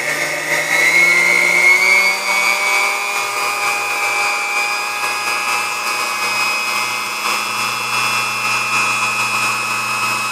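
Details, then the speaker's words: Sunbeam Mixmaster Model 12 motor before servicing, with its cord insulation dry and crumbly: a high motor whine that rises and settles, slightly uneven and wavering; the resistor is suspected out of spec and the grease is due for changing. "Alright, well I guess you can hear how it's running there. It needs a bit of work, but nothing major. At least I don't believe so. It sounds like it's probably, resistor's probably out of spec on there, and I'm sure the grease needs to be changed."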